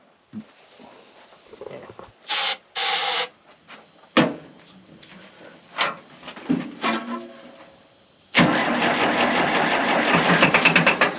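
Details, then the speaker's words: 1960 International 460 tractor that sat for many years, first start at max throttle: several short cranking bursts with pauses, then it catches into a loud, busy rattle. The owner expected a hard knock on cranking; a hard start after long storage. "you'll hear it when it cranks up it'll knock real hard"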